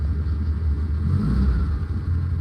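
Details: 1967 VW Splitscreen camper, right-hand drive, just after a test start: deep, even air-cooled rumble that swells briefly with a throttle blip and settles smoothly, no misfire or knocking; the engine runs well.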